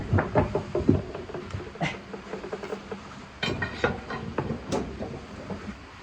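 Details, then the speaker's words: Sledge blows tightening the arbor nut after swapping in a No. 3 saw from the 1940s: several quick strikes, each with a clear ring. The pitch changes and sharpens as the nut seats tight. "Hear that one right there? Bink, bink, bink. The pitch changes, and that's how I know it's tight."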